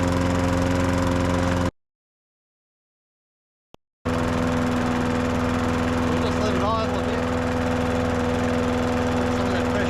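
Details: Old Masport mower, about 35-40 years old, sitting unstarted about six years, fresh oil and fuel added: steady, even single-cylinder drone holding speed with no stumbling or misfires; mower sounds healthy.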